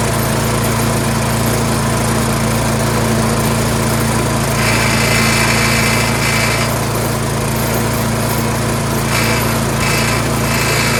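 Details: Troy-Bilt Storm 2410 two-stage snowblower, single-cylinder engine, after fitting a new Hipa replacement carburetor: smooth constant buzz with no hunting or surging in speed, running properly; surge repaired.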